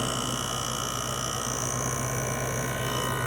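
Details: LG 6000 BTU window air conditioner with a GMCC single-phase rotary compressor, recorded from the outside through start-up and shutdown: steady low hum with an even fan whoosh and a faint high whistle, no knocks or rattles; normal running.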